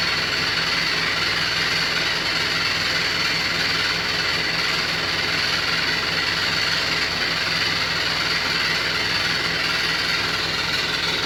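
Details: New Beko WY124PT44MW 12kg washing machine, 3rd-4th use, light load: a loud harsh rattling roar pulsing about three times a second. Cause: the installer left a transport bolt in place and didn't set the foot lock-nuts.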